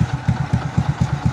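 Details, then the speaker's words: Kawasaki CT125 single-cylinder motorcycle idling after fitting a new original black cylinder head and valve seals, noise that sounded like a connecting-rod fault having come from the top end: steady even low thump, about four beats a second; rod fine. "na uli yung andar niya Syempre bago eh na uling ingay ah ligtas yung connecting rod"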